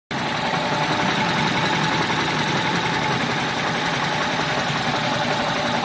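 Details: 1995 G20 petrol engine idling rough with an uneven, loping beat and a lot of clattery mechanical noise.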